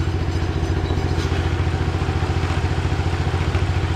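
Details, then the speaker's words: 2005 Yamaha Majesty 400 scooter, fuel-injected single-cylinder DOHC with CVT automatic. Steady idle with a regular clattery beat of about three to four a second from the rear; rear drivetrain noise, cause unknown. "now I do need to work on it as you can tell there's some noise going on back"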